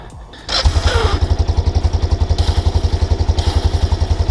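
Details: 1999 Kawasaki Prairie 300 ATV, long stored, started without choke at about 50°F: even thump near 220 a minute with a light jingling on top; source still unknown.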